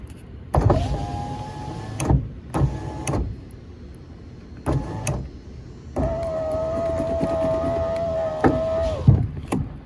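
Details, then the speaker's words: 2004 Ford F150 FX4 driver-side power window that had failed to roll up now cycles normally while the connector is wiggled during troubleshooting; steady motor whine with a clunk at each end of travel. "All right, now y'all gonna think I'm making things up here. that window I know wasn't working before. That was my driver's side."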